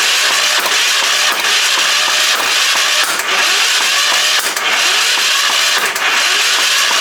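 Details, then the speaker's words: Long-sitting Hatz 1B20 diesel pressure washer, glow plug unchecked, undersized starter wires getting hot, fuel later found crummy and possibly watery. Repeated cranking bursts with brief coughs never catch: it cranks but won't start. "turn this to on and uh let see what happens here kind of sounds like it wants to go"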